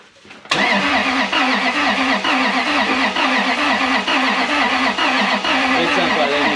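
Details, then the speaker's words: Supercharged Lexus 1UZ V8 in Toyota Hilux ute cranking evenly about once a second without firing; crank sensor timing setting is wrong and must be 355, and fuel pump doesn't run while cranking. "oh what's your timing setting did you change your timing settings oh no no that won't go that's why it won't go and the fuel bomb doesn't crank while it's cranking doesn't go when it's cranking"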